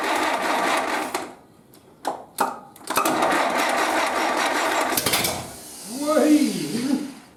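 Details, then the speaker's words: 1931 British Dodge Brothers UF-10 van, first start after restoration, oil system primed, fuel pump filling the carb, timing set by eye: fast rhythmic cranking bursts sounding close to catching but not firing. "Blimey. That sounded like that might actually run."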